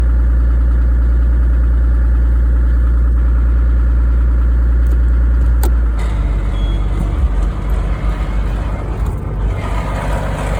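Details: Engine drone turns into a rough, uneven grinding rumble in every gear except neutral, after a large bang and loss of power shifting from R to L; suspected transmission failure.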